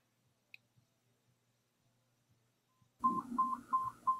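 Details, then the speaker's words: Nano BTE4 hearing aid, upper button held three seconds to change program: faint button clicks, then four short mid-pitched beeps confirming program four. "hear the number of beeps that corresponds to the program selected. One beep for program one, two beeps for program two, etc."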